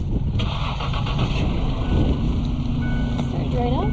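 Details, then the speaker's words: $900 used car, cold start after sitting a few days, engine light on, 2% oil life left: brief crank, prompt catch, settles to an even idle with no knocking; sounds normal. "sounds good sounds good doesn't it impressive for 900."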